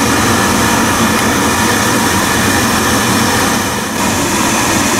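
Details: Biasi B-10 oil boiler with Riello burner, just after bleeding air from the fuel line at the pump bleed valve and resetting, burner cover off: loud steady roar with constant hiss, no sputter or pulsing; burner running normally.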